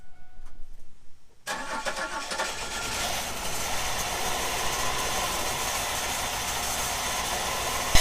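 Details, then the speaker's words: 1997 Camaro V6 revived from the crusher: cranks, catches and idles unevenly with a lumpy stumble, seemingly on about four cylinders; misfire from a faulty ignition module and coil pack. "well i' say that runs but man it doesn't sound good uhoo it's running on its own I don't know how many cylinders that's on go around to the back it's probably all of like four cylinders but we have a running car"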